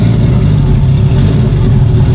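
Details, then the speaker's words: Engine fire-up on a base map after valve buckets that were too tight (zero compression) were replaced; no coolant system, open downpipe, run briefly to set fuel pressure and timing. Deep steady low rumble, even firing, no knocks; runs. "i gotta get my video too but it runs"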